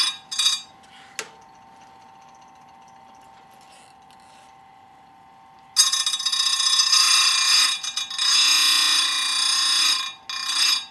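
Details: Square grinder sharpening full chisel saw chain: motor hum, then bright hissing grind in short light touches tooth after tooth with brief gaps, using a very light touch without hogging; steady, correct grinding.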